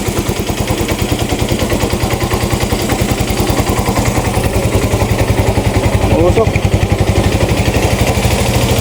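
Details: Yamaha Mio i 125 scooter at idle, misfiring (palyado) and smoky; hard starting, TPS drifting out of adjustment, O2 sensor voltage not reaching 1 volt; uneven idle beats with stumbling gaps and lumpy exhaust pulse, misfire from rich mixture.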